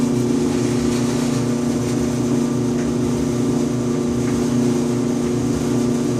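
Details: 5-year-old Electrolux EIED55H dryer running with a loud low buzz and vibration every 45 to 60 seconds; cause was a failed blower assembly, fixed by replacing it along with the motor bracket.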